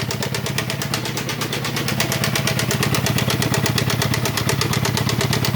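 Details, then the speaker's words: 1.6 16-valve small pickup, plugs just replaced, idling: rough idle with fast steady puffing about three beats a second, noise louder low in the engine, heavy pressure from the oil cap; blue smoke, cylinder 1 at zero compression, suspected broken rings. "Y mucha salida por el tapón del motor. Esto indica que podría estar roto los anillos, aunque hay otro tipo de problemas que también puede haber."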